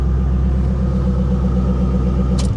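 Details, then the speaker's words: 1984 GMC/Chevy G20 conversion van, abandoned for years, idling at Copart: a deep, steady rumble with an even beat, no misfire, and a brief key rattle at the end; runs really well and went into gear, healthy idle. "that damn thing runs it runs great I don't understand it I don't understand it one bit but it uh it does it runs it runs really really well"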